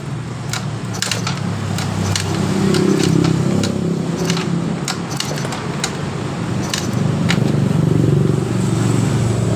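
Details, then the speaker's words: Yamaha Mio GT fuel-injected scooter, stalls/sputters, hard starting, while cranking: sharp irregular snapping clicks over churning engine, high-voltage leaking at the worn spark plug cap; spark plug cap high-voltage leak. "perhatikan juga dan dengarkan ada suara strum bocor di bagian antara bodinya ini Ketika saya mengengkol dari motor ini coba kita dengar sama-sama ada kebocoran Strom seperti itu di sini kemungkinan permasalahan ini ada kebocoran dari stromnya"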